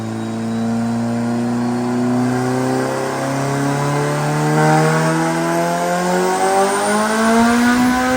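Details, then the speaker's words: Turbo Honda Civic drag car after refitting the wastegate with a spring: strong, smooth climb in pitch under load, no stumble or flutter; clean pull with better power band, 10 lb boost at 6,000 rpm, 17 lb at 8,300. "much better hey 412 and look at that power band"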